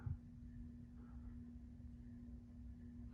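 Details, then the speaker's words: 1998 Encon Corinthian 42-inch three-speed reversible ceiling fan on low speed: quiet steady motor hum with faint rumble and some scratchy bearing noise; motor hum. "starting on low does have a little bit of bearing noise and it hums"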